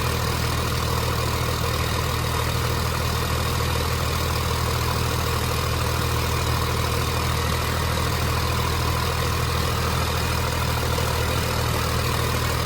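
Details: 29-year-old TimberJack 450-C skidder diesel after sitting 8 years, just started with ether, hydraulics work: deep steady rumble with even beat, no misses or knocks; idling smoothly and healthily.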